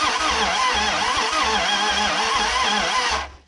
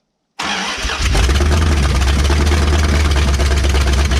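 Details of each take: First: Abandoned 1968 Dodge Charger, unrun for almost 30 years, with the starter just swapped and running on brake cleaner: cranking gives a brief, uneven, sputtering run with loud exhaust pulses, then it dies. Timing suspected slightly off. Hard start, catching briefly. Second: Abandoned 1968 Dodge Charger, first run in almost 30 years, fed on brake cleaner with no cooling system fitted and timing possibly off: it cranks briefly, then settles into a strong, even idle rumble with no knocks; normal start.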